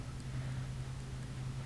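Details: ASCO AC solenoid valve after being rebuilt to cure a noise (not replaced): soft, steady low coil hum with no chatter or buzzing. The valve is fixed and sounds normal.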